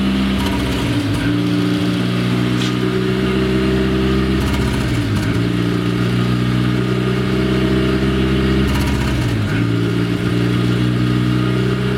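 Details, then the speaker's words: Renault Twingo restarted after its idle control motor was removed, tested and refitted: a steady idle sitting too high that won't settle, because the idle has not been relearned. The relearn procedure is being repeated. "et on démarre et là on a le ralenti à fond bon là manifestement la voiture n'a pas appris le ralenti mais au moins ça marche bien"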